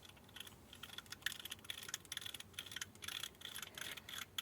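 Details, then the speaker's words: Effbike fat bike hub motor 6002 RS bearing turned by hand: dry uneven clicking and gritty rasp, absolutely ruined and needs replacing; motor was making a loud racket. "absolutely ruined and needs replacing. That's a 6002 RS."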